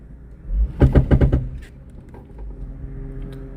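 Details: Car in gear under hard acceleration gives a quick run of about five heavy clunks, then settles; slow acceleration is fine. Both front axles were replaced without curing it. Dealer suspects transmission; a transmission shop suspects the drivetrain.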